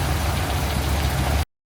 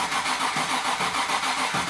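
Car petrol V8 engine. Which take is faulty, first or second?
second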